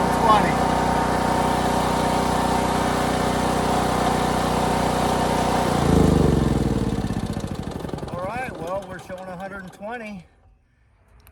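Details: Harbor Freight Predator 8750 generator after replacing burnt brushes and the voltage regulator: even steady drone, then the engine note winds down smoothly at shutdown. Running healthy.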